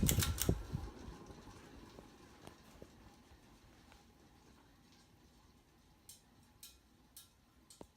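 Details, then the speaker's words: 1988 View 52-inch V652 ceiling fan with light kit, coasting down after switch-off: a quiet rumble with scattered ticks and rattles as it slows, and a fairly long spin-down. The bearings are scratchy and badly worn. "Actually not as bad as I thought it would be. Like I said, it's more exaggerated by the light kit than anything. Bearings are still scratchy."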